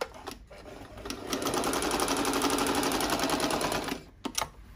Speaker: So I'll do the straight stitch, which is A. I'll come here, depending on the length I want, I'll adjust it.